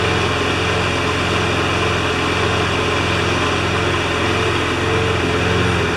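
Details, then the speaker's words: John Deere JS25 mower's small single-cylinder engine running steady and even with a constant low pulse, no knocks or misses; judged good enough to hook back up to the gas tank. "Alright, I think it's going to run good enough to hook it back up to the gas tank."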